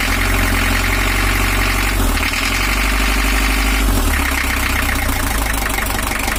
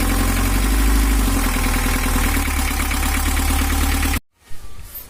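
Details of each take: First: 1982 Toyota Hiace LH11 diesel with overheating, 1982 gear on 1983 camshaft, after retiming to valve top: runs but lumpy and uneven with irregular knock about four times a second; injection pump timing still off. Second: 1982 Toyota Hiace LH11 diesel with overheating complaint, after injection pump timing adjusted one tooth and rough sound addressed: even clatter about four beats a second, smooth with no misses, then shut off; normal idle.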